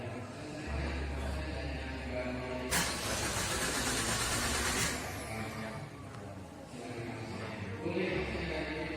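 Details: Suzuki Ertiga during EMS practical training: after clearing IAT sensor and cylinder 1 injector faults with a scanner, engine cranks briefly, catches cleanly and settles into a steady, even idle with no stumble or miss; normal start, running healthy.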